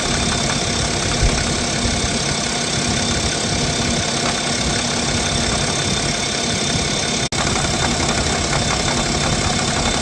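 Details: BMW X5 40d N57 diesel idling with a fast, uneven rattle from the front accessory belt-drive area; cause not identified; no fault codes, runs perfectly.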